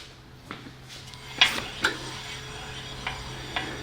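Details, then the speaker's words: 2001 Toyota Tacoma SR5 PreRunner V6 2WD: short uneven metallic scrapes that come and go as the wheel turns, from a loose brake caliper anti-rattle spring rubbing the aftermarket wheel rim. "oh yeah what is that sound now i don't hear it you see it just keeps coming on and off"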